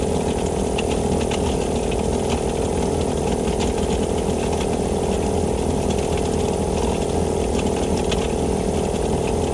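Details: Vevor air compressor after a gasket repair restored pumping: steady, even pumping chatter at about four strokes a second with a constant hum as it builds pressure normally. A possible bad bearing is suspected from a clacking noise.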